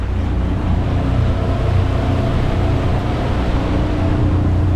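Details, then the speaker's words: New Suzuki outboard on a Gemini 3200 catamaran under way at about 3/4 throttle, 8 mph: steady, even, quiet low drone with no misses, knocks or surging; smooth, healthy running. "That new motor's purring. Uh, real quiet. Happy with that."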